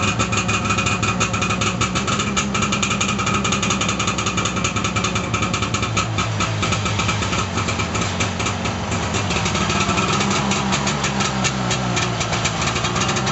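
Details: 1989 Arctic Cat Jag 340 snowmobile, all original, cold start on full choke with a weak battery: steady, buzzy two-stroke idle with even firing and no knocks or misses; normal cold start.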